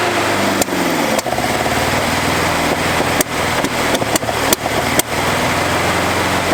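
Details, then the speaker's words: 1981 Toyota Hilux RN46, 18R-GU twin-carb engine, first start after sitting at least three years, needing only carb cleaner and a few cranks: catches and holds a fairly steady idle with a few dips and stumbles; compression good. "well there we go boys and girls that is why you buy a Toyota because this thing has been sitting on old mates farm for three years it hasn't been started"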